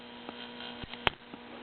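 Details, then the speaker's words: 1960–61 Voice of Music record player tube amplifier, finger touched to pin 7 control grid of the 12AX7/7025 on the weak left channel: steady mains hum and clicks, strongly overdriving, so the output stages work and the fault lies between the left phono input and that grid. "yeah you can tell we have plenty of we have plenty of uh signal there in fact it's overdriving it majorly"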